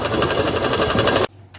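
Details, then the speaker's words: 2003 Dodge Dakota, engine running: fast steady metallic clatter like a rattling sewing machine; AC compressor clutch bearing has shattered, bits flying out; belt, tensioner and idler pulley to be replaced. "Yeah, it's making a noise, that's for sure. I think I know what it is. The AC clutch is wasted."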